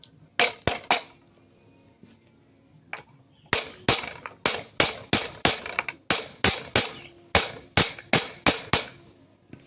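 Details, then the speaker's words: Yamaha Jupiter Z front wheel bearing being driven in with a flat pin: sharp hammer blows about three a second, the ringing note turning duller and more solid once it bottoms against the spacer. Bearing fully seated. "itu sudah mentok teman-teman bunyinya beda ya"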